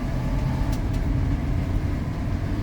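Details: Ford F-150 with 302 V8, driving on the road after ignition timing set slightly lower and an injector replaced for a dead miss; deep, even rumble with no misses, pinging or stumble; power steering pump whine; normal running.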